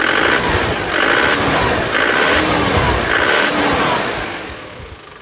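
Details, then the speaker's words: 2010 Isuzu Panther pickup turbo diesel running: steady even beat, no knocks or misses, responsive and healthy; white smoke indicates slight blow-by, though radiator coolant doesn't spurt so compression judged still safe. "Nah, kita coba dengerin suara mesinnya ya. Mesinnya masih responsif, masih enak. Dia juga turbo diesel."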